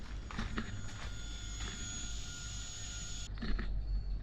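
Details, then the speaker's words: Mercury 3L 250hp EFI outboard converted from a 225hp carburetted engine, at key-on: faint steady high whine of the VST fuel pump for about three seconds, then stops; pump priming normally. "but I've turned the key on and no noise coming from my VST pump so I should be able to hear that VST pump when I turn the key on but oh yep now I can hear it"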